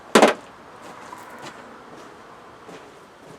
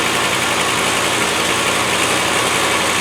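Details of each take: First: Land Rover 110 V8, starting much better than before: catches quickly, then idles with a loud raspy puffing chuff over the engine note, exhaust blowing from a Y pipe split wide open on one side; replacement part on back order. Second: Land Rover 110 V8 with big carburettor, idling without its full exhaust fitted: steady, even idle with a hissy open-exhaust edge, no knocks, misses or hunting; running smoothly.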